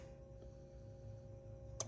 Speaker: And we expect to hear the stinger relay energize. You might hear it click.